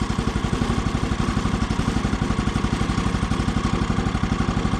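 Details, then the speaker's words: Brand-new Woodland Mills HM130 Max sawmill's 14 hp Kohler engine idling on first start while warming up, with an even, steady single-cylinder thump, very quiet, and no centrifugal clutch "ting" heard, so the idle is set well. Normal idle. "normally what i do with this thing at this point is i listen for that ting sound that ting sound is the premature engagement of the centrifugal clutch uh i don't hear it here so the idle must be set pretty good"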